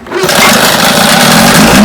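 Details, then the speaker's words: Vintage Johnson outboard that misfired at high speed, after the pitted new points were replaced. A loud, steady two-stroke buzz at one even pitch with no drop-outs; runs easy and clean, confirming the points were the trouble. "running easy yep that was the trouble points"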